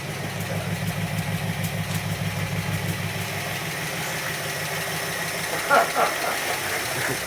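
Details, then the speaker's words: Barn-find 1960s Bristol 408 with Chrysler 5.2 V8, revived but not yet driven or cleaned: an even, low idle burble that settles cleanly; normal idle. "against quite a few odds the barn fine Bristol 408 is running really nicely"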